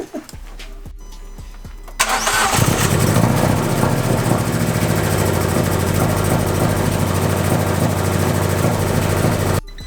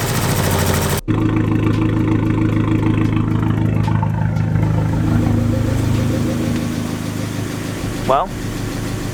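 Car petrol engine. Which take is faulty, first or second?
first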